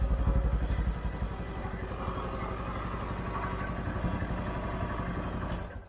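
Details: 2013 CFMOTO Z Force 6 after a fuel pump change, with 45 PSI and the filter primed but the tank probably low on fuel: deep, even pulse of about four beats a second holds steady, then shuts off; fuel delivery restored, running normally.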